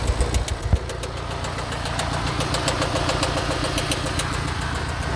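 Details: Mini Countryman at idle: a sharp ticking knock repeats steadily over the low drone; cause unknown.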